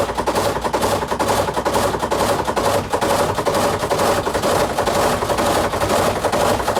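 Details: Samsung WA48H7400AW/A2 top-load washer on test spin, around 200 rpm and getting worse: hard, fairly regular bangs about twice a second as the drum spins up, the tub hitting the cabinet; the four corner suspension rods are recommended for replacement.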